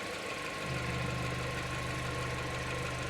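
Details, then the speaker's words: 2016 petrol car with old K-series-style oil cap, bonnet open, oil not creamed up: quiet, even idle with a steady low hum and no knocks or ticks; normal, healthy idle. "It's not all creamed up. Actually sounds lovely. Yeah. Very, very quiet."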